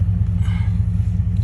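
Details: 2012 Ford F-150 after a no-crank/no-start fix: a module under a panel, possibly loosened by a foot, was blown out and reseated; steady low rumble at an even idle with no misses or knocks; normal idle.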